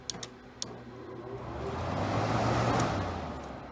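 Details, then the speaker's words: Haier window air conditioner being hacked for smart control, its fan triggered through the low-speed control wire: a couple of relay clicks, then a soft hum and rising airflow as the fan spins up gently; normal low-speed fan running. "sounds like a low speed that sounds faster that sounds fastest"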